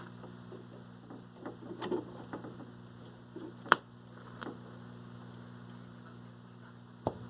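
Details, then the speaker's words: 1960s Lloyds AM/FM transistor radio, estate sale find, first power-up: steady low hum under the whole clip with only faint scattered programme sound and clicks; hum worsens the longer it stays on. "okay so with some power here's what you get that's not humming as much as it did but it's got a bit of a hum to it"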